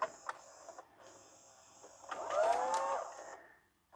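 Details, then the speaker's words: LG/NEC VCR after mode switch cleaning: quiet room, then a short smooth motor whirr and soft mechanical clicks as the tape ejects cleanly on command; repair confirmed. "Excellent. It's doing what it's told. Beautiful."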